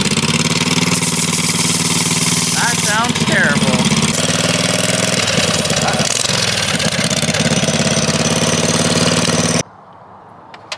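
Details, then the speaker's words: 1980 Daihatsu S38 mini truck with swapped-in 23 HP Briggs & Stratton Vanguard engine, coasting downhill: loud, uneven, lumpy note that never settles, running rough because the choke was left on. "The choke was on."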